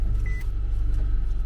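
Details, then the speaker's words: Car with 96,000 miles at an insurance auction, jump-started, no coolant in bottle or radiator, run briefly to avoid warming: even low rumble, steady quick pulsing, no knocks or rattles; normal idle. "Okay, motor sounds decent. I'm not gonna let it get too warm."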